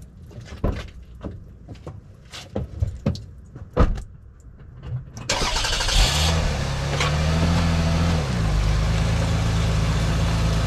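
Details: 2001 Toyota Avalon on back roads at slow speed, before repair. Irregular dull clunks over bumps; shaking the wheels found nothing loose and tightening the spare and jack didn't help. Owner suspects worn rear sway bar bushings.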